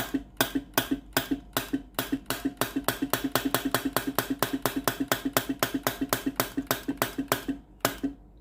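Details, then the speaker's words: Philips GC9622 steam iron with no steam, test pipe connected at the solenoid water valve outlet: crisp, even valve-coil clicks about four a second with no steam hiss behind them; no steam at the pipe, faulty solenoid valve. "But no steam comes out. At the end of the pipe that I connected, there is no steam."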